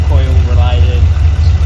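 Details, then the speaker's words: LS3/L77 V8 in the owner's VF/VE Commodore at idle: a deep, lumpy, uneven beat with periodic stumbles, like running on seven cylinders. Coil, plug or injector are suspected; OBD and a cold cylinder later point to a failed injector. "okay guys how you going well as you can probably hear the uh cars not running the best it definitely definitely sounds like it's running on seven cylinders"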